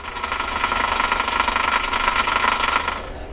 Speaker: there quite a few of you picked up on my little bit of qrm interference this really horrible crackling noise that you can hear